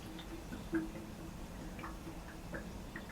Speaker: and there's more air going into the pushing the water down since it's just cold water coming out of it